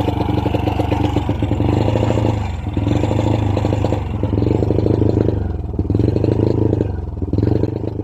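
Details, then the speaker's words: Honda Wave 100 single-cylinder motorcycle under full throttle: slow surges, bogging and falling back, never climbing cleanly; power loss, cause unconfirmed, CDI to be checked first. "no, kahit anong full throttle natin guys no, hirap talaga makabuelo ang pwersa ng kanyang makina. So ibig sabihin guys, may problema ang kanyang motor."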